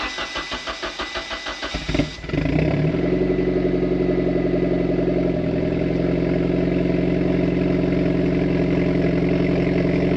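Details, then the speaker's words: Mitsubishi Evo X, breaking up under full boost and misfiring since spark plug change, plugs regapped, engine not yet fully warm, at idle: uneven, lumpy idle with irregular stumbles, same amount of misfire as before. "i would say that's the same amount of misfires as before okay so i mean it runs it's still not at high enough temperature for me to be able to floor it though"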